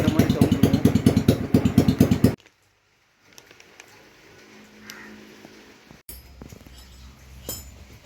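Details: TVS Wego scooter, cracked silencer bend pipe before replacement: loud, raspy popping exhaust bursts about three per second, far harsher than normal; exhaust leak from the cracked bend pipe, which welding only fixes temporarily.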